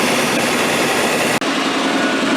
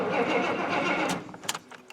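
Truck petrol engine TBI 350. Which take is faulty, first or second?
second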